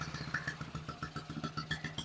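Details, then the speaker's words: 1974 Honda XR75, running about a minute, timing on the fire mark and advancing, still smoking: small single pops wandering and stumbling; rough idle, owner suspects insufficient idle fuel flow. "It's running better. It ain't great. It's been running for about a minute."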